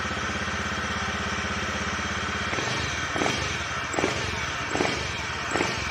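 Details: Honda BeAT eSP scooter that would not start with fault blink code 52 (CKP crankshaft position sensor, wiring or sensor fault): fires up and settles into an even steady idle with light throttle blips, running smoothly.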